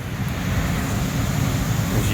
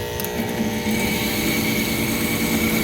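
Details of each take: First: Allied gas package unit on a no-heat call with a tripping high limit and neglected, clogged filters: a steady, even rush of air over a low rumble with no rattle, scrape or squeal; the blower itself runs normally. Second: Allied gas package heating unit with no heat, burners firing poorly and high limit tripping: rough, uneven motor drone with a rattly buzz; noisy combustion inducer motor judged to be failing.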